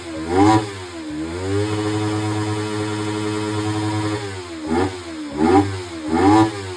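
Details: Kawasaki Ninja 300 that would not cold start; after throttle body cleaning it starts at once and crisp throttle blips rise and fall cleanly, settling to a steady idle without hesitation; healthy, responsive engine.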